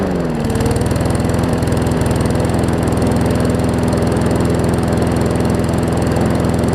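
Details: Newer Murray push mower just after new carb diaphragms: even steady putter at noticeably low speed, no misfires; runs fine but slow, throttle/governor spring (a bit too long) needs setting.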